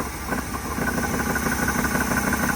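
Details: 1979 Dodge Ramcharger V8, ex-plow truck, first start after sitting 15+ years, air filter off: even, quiet idle with a smooth low thrum and no knocks or ticks; motor sounds quiet and healthy.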